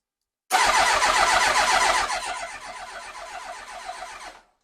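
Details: Yamaha R1, carbureted, off road about 5 years, battery charged, in neutral: starter churns at about four even pulses a second, then fades without a single firing stroke. Crank no start.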